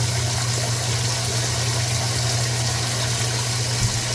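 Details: Older washing machine, over 10 years old, after replacing the super-slow water inlet valve, on light load: steady, strong rush of hot water over a low hum, no sputter or hiss; the new inlet valve is filling at full flow, normal.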